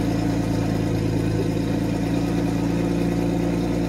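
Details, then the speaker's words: 1991 Mercedes 190E with CIS injection, first cold start of the day: fires right up and settles into a steady, even idle with a smooth low hum and correct idle speed, no misses or knocks. Exhaust leak and rattle noted separately. "as you can see it fired right up the idle speed will correct that's also a good thing right"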